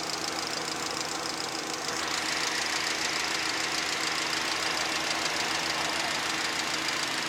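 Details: VAZ 2110 16-valve engine running: fairly steady ticking knock around 200 per minute over the idle; engine knock, cause unknown.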